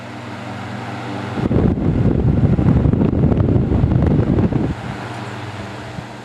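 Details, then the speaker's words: Vintage fan with steeply pitched blades that moves a lot of air: a steady low motor hum, then a strong even rush of air with no rattles or ticking; it runs smoothly and healthily. "this is a really nice fan it works good as I'm about to show you it moves a lot of air"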